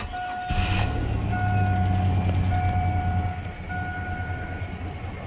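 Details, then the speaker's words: GMC Sonoma after adding 3.5 quarts to a low crankcase, dead cold start after sitting since Thursday: catches cleanly and settles to a smooth, even idle with good oil pressure, only a dash chime, no knocking. "all right we've got good oil pressure it sounds good didn't make any noise i'm good with that"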